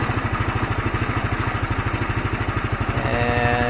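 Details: GY6 150 scooter that kept dying out after sitting a week, after the carburettor and main jet were cleaned: even low chuffing at about three beats a second holds steady; it idles smoothly and keeps running.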